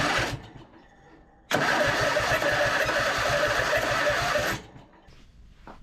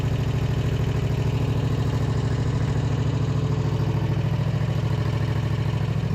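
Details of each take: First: Husqvarna RZ5424 zero-turn mower that would not turn over with the key, cranking after a safety switch was found: harsh, gritty whirring crank for about three seconds with fast even compression pulses; starter sounds rough and noisy. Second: Husqvarna RZ5424 zero-turn mower that would not start or turn over with the key, started by jumping the starter signal wire; even steady low thumping at idle, no misses or hunting; idling smoothly.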